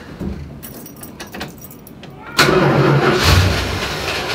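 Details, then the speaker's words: Dodge Dart after steering column install, cold with choke barely on: rattling and handling, then the engine catches at once and keeps running steadily off the key; normal start. "I'm just rambling but it runs off the key now"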